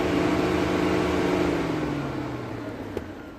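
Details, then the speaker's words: 2010 Vauxhall/Opel Astra J 1.6, single two-speed radiator fan run at speed 2 through the diagnostic actuator test: a smooth, even whoosh and hum that sags and fades as it slows, and both speeds work fine. "okay so this is basically this is basically a fan with two speeds and on the actuator they both worked absolutely fine"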